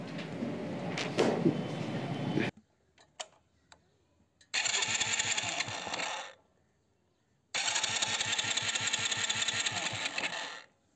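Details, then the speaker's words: Hero Splendor iSmart motorcycle cut out after about 1 km once hot and lost ignition current, not out of petrol; two self-start cranking bursts with steady rapid chuffing, turns over but never fires: crank no-start, owner suspects CDI. "अब इसमें जो मैं नई CDE लेकर आया हूं वो set करता हूं बाइक स्टार्ट नहीं हो रही"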